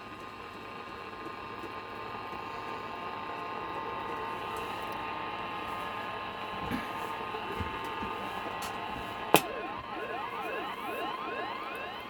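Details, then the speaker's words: Pilot TR-80 transistor radio, tuning with a slipping dial pulley: steady buzzy hiss with stacked whining tones, whistles sweeping as the dial turns; interference from a nearby switch-mode power supply. "Switch mode power supply there interfering with it."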